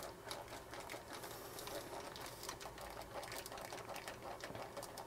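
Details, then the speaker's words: Creative Aurvana Platinum Bluetooth headphones: dry, rapid plastic clicking and crackling as the plastic cups and thin plastic headband flex; only the sliders are metal. The housing creaks. "wszystko nam nieźle Skrzypi niestety taki plastikowy niefajny dźwięk"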